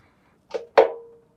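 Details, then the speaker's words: Washing machine that came in not draining, on spin test: three hollow knocks, each ringing briefly; bearings suspected at first but spider shaft has no play, traced to a loose drum pulley. "that knocking sound it almost sounds like the bearings are gone on this thing you know you just keep going like that that's worrying"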